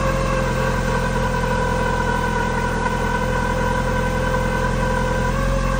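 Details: Mitsubishi Lancer Evolution V 4G63 after timing belt and pulley replacement: steady idle with constant whine and slow wavering drone; owner suspects an overtightened balance shaft belt or a mismatched belt tooth profile, unconfirmed.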